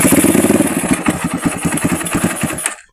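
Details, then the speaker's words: Honda XR200 motorcycle with a no-start traced to the battery only. It now catches at once and settles into a steady single-cylinder thump, about four beats a second with no misfire, a normal start and idle. "mga kaibigan, napatunayan natin, battery lang yung problema ng motor ni Idondoy."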